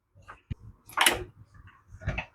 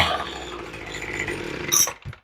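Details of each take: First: Troy-Bilt leaf blower after its unavailable original carburetor was replaced with an interchangeable one and primed. Pull-started with no spark plug installed, it gives four hard bursts about every 1.5 seconds, each dying with no firing. No start. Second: Troy-Bilt two-stroke blower with a replacement carburetor, now with its spark plug installed. It revs up crisp and steady with a clean high buzz, then cuts off cleanly. Running normally.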